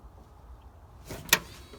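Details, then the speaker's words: First-gen Dodge truck during rewiring, blower on low: short whir then one sharp dry click from the relay or solenoid circuit; wiring on solenoid/relay being checked, cause not confirmed. "I hear something clicking what's clicking is your your got your wires all hooked up right on the solenoid"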